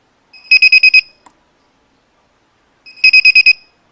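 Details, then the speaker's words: Battery spot welder on mode 5 connected to a low-amp battery: two bursts of five quick high beeps with no welding snap, as the battery cannot supply enough current to weld. "बिल्कुल beep की आवाज आ रही है लेकिन कोई भी spot welding नहीं हो पा रही है दोस्तों"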